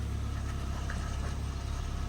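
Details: 2013 Ford Fiesta 1.25 L after fixing a cylinder 3 misfire (P0303) by replacing plugs, coil pack and leads: low, even idle with a steady pulse, no stumbles or misses.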